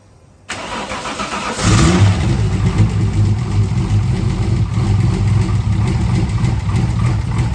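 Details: Nissan R33 drift car after fitting a standard ECU: short crank, catches almost immediately, then settles into a steady even idle with no stumble; normal start and idle.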